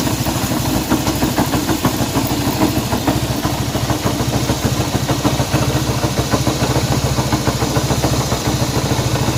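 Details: Honda CB190R motorcycle engine noise at idle: busy idle with a loose uneven ticking roughly three a second over the exhaust note; abnormal engine noise, cause unknown.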